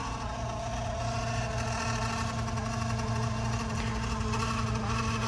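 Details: BMW M5/M6/X5M S63TU/S63R, original auxiliary coolant pump running during coolant top-off before replacement: a loud, constant, gritty buzzing drone with a rough, irregular flutter. Owner suspected a faulty pump; its bearings were shot, so it was replaced.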